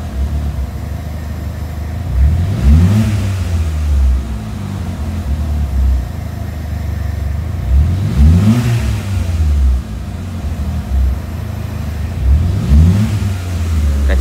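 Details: Peugeot 206 petrol engine idling then stuttering and hesitating through three quick revs; stumbling when revved, suspected engine wiring harness fault, with throttle, TPS, fuel pressure or MAP sensor also named as possible causes; unconfirmed.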